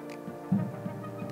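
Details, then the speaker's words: ELEGOO Jupiter resin printer stepper motor after reseating loose motor connector; build plate lowers with soft steady hum, no vibrating noise. "yes we did the build plate is lowering again without making funny noises well that was a quick and easy fix"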